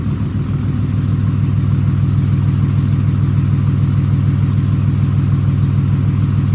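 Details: 2008 Ram 2500 6.7 Cummins diesel after replacing the failed turbo VGT actuator, recorded from the back of the truck: deep, even idle clatter with no whistle or surge. Sounds healthy, clearly different from before.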